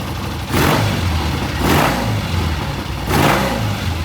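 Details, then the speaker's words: Vintage British motorcycle on a new temporary ignition system lashed to the frame, timing set: three clean throttle blips rising crisply and settling to a steady idle without misfire; smooth, best it has ever sounded. "It sounded good, revved good. But that was the best it's ever sounded. I mean, it really sounds good, real smooth."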